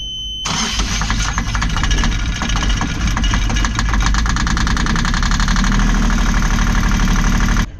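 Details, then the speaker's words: Yanmar diesel on a catamaran: it cranks, coughs out billowing smoke and catches into an uneven, labouring run on only two cylinders; hard starting, one injector suspected blocked with gunk, possibly from the previous owner running it at low rpm. "we eventually got it going after the smoke to act mad, it ran, but only ran on two cylinders. Definitely think one of the injectors is either blocked with gunk."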